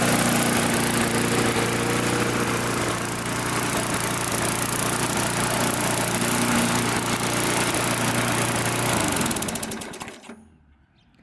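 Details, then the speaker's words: Trash-picked MTD push mower: steady, even single-cylinder buzz at constant speed without hunting; normal running after tightening loose carburetor screws that had caused surging; slight vibration suspected from a bent or dented blade. "I just tighten the carburetor up in the surging all went away so"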